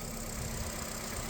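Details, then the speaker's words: 2010 Nissan Cube brought in in limp mode, after new motor mounts, coils, plugs, mass airflow sensor, transmission speed sensor and battery: starts and idles with a steady, even low rumble, no ticking or knocking; sounds healthy. "The cube starts and runs as you can hear as there's no knocking, no nothing going on."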